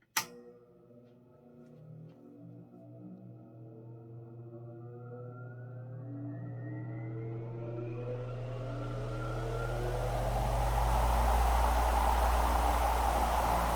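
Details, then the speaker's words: Vintage ILGJET 24-inch type Q air circulator fan after replacing 6203 bearings, started on high: motor hum climbs smoothly to rushing air, no rattle or grinding; normal running. "Wow. All you hear is the sound of the wind, and that's it. In fact, I bet if there was no guard, it would probably be even quieter."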